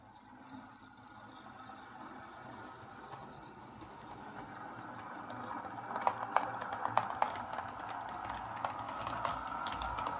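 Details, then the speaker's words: Lima Eurosprinter model locomotive, formerly screeching, running on the layout: even, low growly motor hum with light rhythmic rail-joint clicks, no stumbles; super smooth thanks to its weight. "Well, there we are. That's this Lima Eurosprinter running really well now. Very well, actually. You know, it's super smooth, which is due to its weight."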